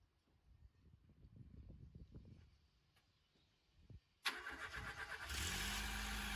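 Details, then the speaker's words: 1989 MK4 Ford Escort, first start in almost a year, cold without choke: starter catches, engine fires and settles into a smooth, even idle without stumbling; normal cold start and idle. "and incredibly as you can see he ran no choke needed just idle perfectly and it hasn't been started in almost a year i'd say which is a pretty incredible"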